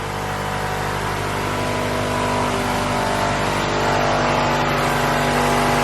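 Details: Honda Civic B16A with a fresh set of injectors, engine revving smoothly and evenly with no misfire or stumble after the fuel pressure was raised to spec; injectors pulse well and no fuel leaks are seen. Fuel pressure rises with rpm. Normal revving.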